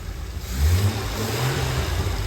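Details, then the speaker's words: Jaguar E-Type engine at full operating temperature (cooling fans kicked in, choke fully in) during carb balancing after new brake vacuum check valve fitted; smooth low note lifts with a brief blip then settles to even idle, no misses or knocks; normal warm rev and idle. "I believe it's turning around a bit, which is a good sign. So we know we're operating at full temperature now."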